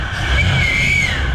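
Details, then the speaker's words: 1963 Chevrolet Impala V8 after ignition tune-up, warming to about 160–170°F with good oil pressure: loud steady metallic squeal over the idle, metal-to-metal on revving; front bearing failing, water pump suspected, not confirmed. "Whew. Yeah, that sounds bad up there. One of the bearings ain't happy at all."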